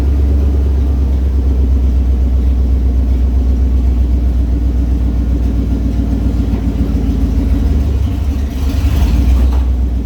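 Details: 1989 Ford F-150 XL, 5.0 V8, four-speed manual, revived after sitting parked with an intermittent running issue. A deep, loud, unmuffled rumble with a rough uneven pulse swells as it revs; running with near-open headers.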